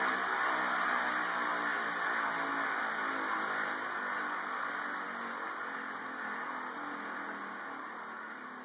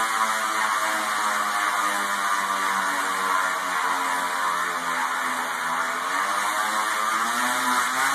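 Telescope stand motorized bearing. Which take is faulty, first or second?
second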